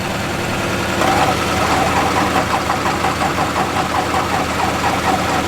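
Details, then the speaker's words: Machine with articulated steering on jumper cables charging a weak battery after oil was found empty and topped up, fuel being pumped: even rapid cranking with metallic tick, never fires; crank no start, owner thinks battery needs more charge. "i think it needs a little bit longer on the battery"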